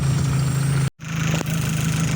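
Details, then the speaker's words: Opel Zafira 1.8 Z18XE idling after hydraulic lifter cleaning repair, oil changed and engine flushed; smooth steady low idle, no valve tapping, brief sound dropout, lifters quiet: normal idle. "гидрокомпенсаторы не стучат эффект от ремонта положительных"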